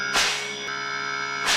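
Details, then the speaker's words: Voltas inverter AC with PC 00 error, after repairing PCB by replacing a failed resistor in the IPM current-sensing circuit: compressor runs with smooth steady hum, constant pitch, no rattle; normal running. "तो देख सकते हैं आप बहुत बढ़िया कंप्रेसर चल"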